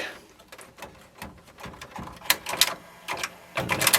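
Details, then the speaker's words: 1997 Sony HCD-XB4 stereo cassette deck being revived: irregular sharp clicks and clunks as the tape mechanism stalls and jams with the tape stuck. Then a snap as the head swings back through its reset. "and yeah it crashes when you're try and don't think it's coming back either hope it didn't do anything to the tape yeah no it's stuck"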